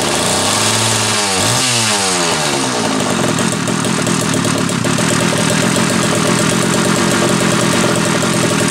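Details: Homelite 330 two-stroke chainsaw, formerly trash-heap bound: rising whine then steady busy buzz at high revs, clean without stumbling; runs fine.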